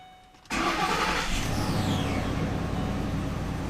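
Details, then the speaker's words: Ford 5.4 Triton V8, first start after a timing chain set replacement and reassembly. A short crank, then the engine catches at once into a steady, even idle with no chain rattle. Manifold ticking is heard, said to be normal for now. "i hear the manifolds ticking that's normal well for right now it's normal i'm happy that it's going well"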